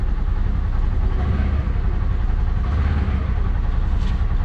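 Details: 2021 Polaris Ranger 1000 idling just after an oil and air filter change, before the final half quart top-up: steady low, even rumble, no knocks, ticks or misses; normal healthy idle.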